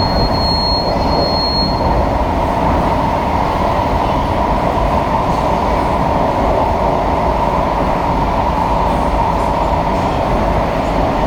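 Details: SMRT KSF A metro train C151A 563/564, Changi Airport to Expo, running into tunnel: steady high wheel screech with a sharper early shriek over rolling rumble, a known issue on some KSF A trains.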